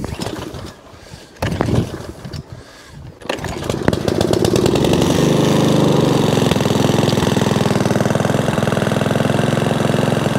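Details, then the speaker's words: Sovereign lawnmower after carburetor adjustment, cleaned spark plug, replacement heat shield and drive fix; a few pulls, then settles into an even, steady beat with wind gusts; drive works, engine runs cleanly; normal running. "drive now works as well yeah it runs quite sweet"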